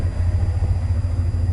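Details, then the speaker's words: 1990 Chevy K5 Blazer V8 after rebuild, started cold, fuel pressure 50, idling about 1,000 rpm: deep, even burble with smooth steady pulses and no ticking or knocking; engine healthy. "fuel pressure Sho is good on 50 idles at about a grand it's got a nice Rumble I love it"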